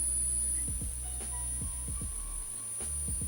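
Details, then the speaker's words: Microlab 360W PSU board out of its case: a constant high whistle whose tone changes when a particular capacitor is touched, with dull thumps from probing. High-pitched whine from the power supply. "ну и что все вроде бы работает запускается но свистит и причем свистит вернет тональность этого свиста меняется когда я касаюсь вот этого конденсатора"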